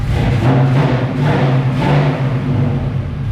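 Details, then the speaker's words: 1978 Pontiac Firebird with a small-block V8 and small cam, swapped in after the big block's cam went flat, idling just after the exhaust was installed, with a throttle blip. The low, lopey burble has no rattles or leaks: a healthy idle and revs. "Actually sounds pretty good. So listen to that. Little cam sounds good in this thing."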